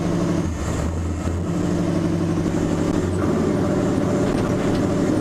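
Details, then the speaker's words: Chevrolet C10 with a failing fuel pump cutting in and out, driving home: uneven engine note with stumbles and dips; misfiring and bogging, shutting off and restarting; owner blames the pump. "It's misfiring and bogging right now, but we're in the neighborhood."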